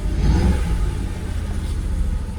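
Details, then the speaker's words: Jaguar XKR (X100) with an intermittent rough idle; the cam position sensor and a cam cover bolt are suspected: revs drop, and a throttle blip brings a quick rev, then the engine sags, runs rough and nearly stalls. "the revs are dropping off slightly now this what I'm convinced it's something it's got to be something so simple oh revs dropping no let me blip the throttle see what happens nor if I do that it'll stall"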